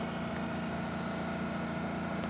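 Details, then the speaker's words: 1960 Hotpoint window AC (R22), in service until 2007 and then probably sitting 10–15 years, found low on charge. Fan stopped to hear the compressor: a low, smooth, very quiet hum with no knock or rattle. Normal compressor running, guessed at about 1700 rpm. "so jam the fan up so we can hear the compressor it's really super quiet"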